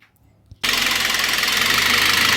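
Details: Citroën C4 2.0 engine noise; suspected low oil pressure, oil pump or lifters; at start-up a fast dry metallic ticking over idle.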